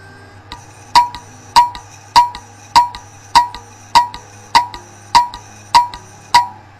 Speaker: si el cabezal se daña dentro del disco duro se producirá un ruido muy fuerte en el disco duro que puede sonar algo como esto